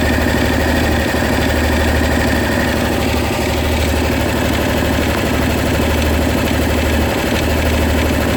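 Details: Honda SH 300i scooter idling with a light, fast, fairly uneven tick over the low hum. Mechanics in Germany say it's nothing, but the owner is sure something is wrong. Source unknown.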